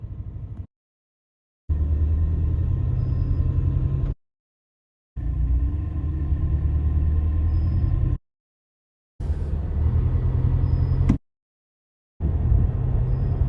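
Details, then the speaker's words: 2025 Toyota Tacoma TRD Off-Road, after a cold start with AC on and idle settled to 1000 rpm: low engine rumble pulling away, with a brief faint high chirp once on initial acceleration. "And then the second we start accelerating, you could hear that light faint chirp noise."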